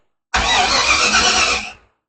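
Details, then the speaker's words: Dodge 5-window coupe hot rod under restoration, crank after the ignition switch was installed and wired, dash lit: about a second and a half of steady, even starter whirring with no start, dropping off cleanly; healthy cranking. "The ignition switch is in. It is wired up. Watch that dash light up. Look at that. Listen to a crank."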